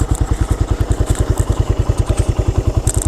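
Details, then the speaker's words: Suzuki Satria F at idle, cam chain side quiet: firm, evenly spaced thumping with a tight, solid beat and no ticking or knocking; compression still tight, healthy engine. "Nah makanya gua makin Yakinlah dengan unit yang ini gitu ya karena memang masih sepadat ini [Musik] suaranya gitu"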